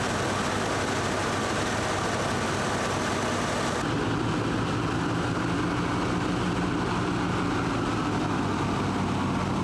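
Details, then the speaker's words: 1978 K5 Blazer V8 after a Rochester Quadrajet four-barrel carburetor rebuild. Steady, even low rumble with a smooth idle, no misses or knocks; running real good before a test drive. Normal idle. "She's running real good. We're gonna take her for a test drive."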